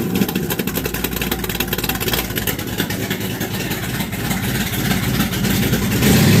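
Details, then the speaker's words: Charger, started after sitting a while, new A&A valve body fitted, possible thermostat coolant drip: strong even engine note, steady firing, rising smoothly with revs, no misses or knocks; runs healthy. "So, the Charger, as you can hear, is still running fan-frickin'-tastic."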